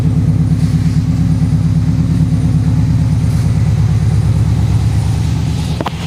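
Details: Freshly rebuilt engine at about 50 miles, after first oil change with new filter and 20W-50 VR1 oil and primed oiling system: steady, even idle with no grinding or knocking, good oil pressure.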